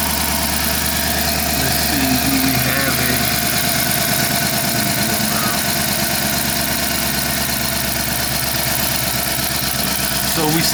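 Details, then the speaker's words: 2012 Dodge Charger 5.7 Hemi idling after swapping coil packs between cylinders 3 and 5: uneven loping beat with regular stumble, misfire stays on cylinder five, suspected mechanical fault; compression test next. "still have a dead Mist on cylinder five as suspected three is running good so I was pretty sure that we had a mechanical problem and that's what it seems like"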